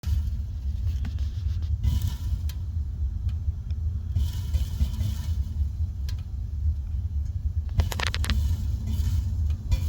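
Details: Tank water heater, hot water running out after one 15-minute shower: deep steady rumble with scattered faint crackles and pops; water heater rumbling.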